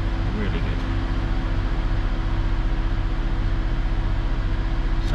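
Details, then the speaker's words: Vauxhall Insignia after temperature sensor repair, new rocker cover gasket and plugs, cold engine with gauge at 50 degrees: steady even low idle, smooth regular pulse, no knocks or misses; runs much better. "the engine runs a whole lot better we're really good"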